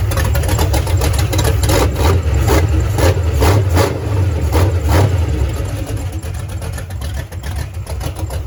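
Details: Foxbody Mustang, freshly installed 331 stroker V8 with Comp Cams, T5 manual, first start: loud, lumpy idle with even pulses around two per second, steady and settling; fresh engine runs healthy.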